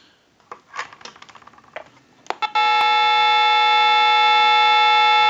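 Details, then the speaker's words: Western Electric Glow Phone under repair, plugged into a line analyzer; after some clicks a steady dual tone/buzz sits on the line as analyzer shows a seized digit eight, preventing dialing out. "you will hear a noise that's actually a tone or a buzz however you want to describe it"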